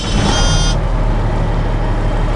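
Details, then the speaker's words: 1987 Freightliner all-terrain spray truck, 766,000 total, diesel: steady deep rumble at 1,000 RPM with 60 psi oil pressure, dropping to an even flat idle still holding 50 psi, no knocks or misses; healthy normal idle. "look at that, folks, sitting right here, 1,000 RPM, 60 pounds. Drop back to an idle, and she's still carrying 50 pounds of oil pressure at a flat idle."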